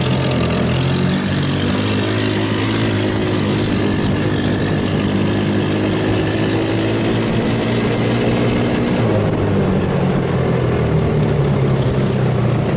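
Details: Hammerhead off-road go-kart, 150cc GY6 engine, after carburettor rebuilt and cleaned of water and jelly contamination: steady, even engine note with smooth unbroken rhythm, no misses or stumbles — normal running.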